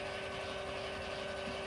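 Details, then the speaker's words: Lippert Ground Control aftermarket auto-leveling on 2017 Windjammer 3029W travel trailer, after grounding front jack: steady mid-pitched motor whir with fine ratcheting buzz as front jack automatically retracts; normal. "So now it's going to pick it up, and now it's going to automatically retract"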